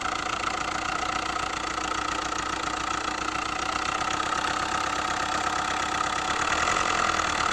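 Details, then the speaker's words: Hyundai i20 engine knocking at idle, a light fast ticking knock through a steady idle; connecting rod bearings were already replaced elsewhere but noise persists and grows with throttle; source not yet pinned down, tappet cover being checked. "इसका जो है तो connecting बरिंग replace की हुई सामने वाले ने उसके बाद भी जो तो नॉज बिल्कुल बंद नहीं हो रहा"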